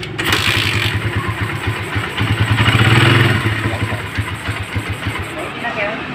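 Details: Suzuki Satria FU150 with a Keihin PE28 carburetor: steady, even single-cylinder idle with no stumbles, running normally.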